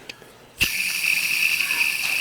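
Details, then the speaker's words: High-mileage alternator belt-drive pulley spun by hand gives a dry, rough, high-pitched whirring hiss with a faint gritty rattle and little play; dry bearing needing replacement. "That sounds dry to me. Not much play. Not much play. You can feel a little bit. You can hear it [Music] though."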